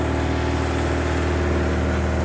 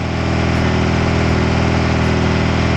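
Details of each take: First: 1986 Suzuki Katana four-cylinder, unstarted for 31 years, after correcting swapped plug leads (firing order was wrong): even, unbroken hum at steady idle with no misfires, running rich but smoothly on all four cylinders. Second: 1986 Suzuki Katana four-cylinder, first start after 31 years unused, choke held on with forceps: uneven, lumpy idle with a loping beat before cutting out; running on only two cylinders per exhaust temperature probe, owner suspects coil pack.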